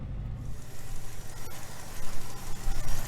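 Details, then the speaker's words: 1976 Dodge Dart Sport, 318 V8, four-speed, after earlier loud clacking like a collapsed lifter: a low, even V8 idle rumble with only a faint trace of top-end clatter; oil pressure light came on; normal idle. "well there's still a little bit of noise but nothing like it was so uh i don't know so with the noise being very very minimum i'm calling poopy healed right now"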